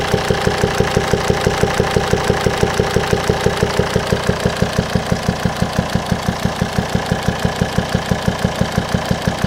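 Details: 2007 Volvo XC90 D5 diesel at idle: sharp, even pops about twice a second through the intake pipe to the turbo; the owner suspects faulty swirl flaps or a stuck or broken intake valve, not confirmed.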